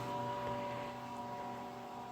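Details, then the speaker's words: Solectria BC3000 battery charger (S/N 094) after repair, load fully transferred onto it from a ~180 V supply, probably about three amps: steady even hum, clean fixed tones, no buzz or crackle; carrying load smoothly. "as I turn this down we're gonna start transferring load over to the charger you can actually hear it doing its thing so we're now fully on the charger"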